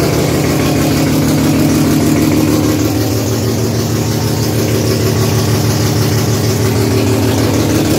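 Loud, lumpy idle with a raspy puffing pulse about three times a second, from an exhaust leak.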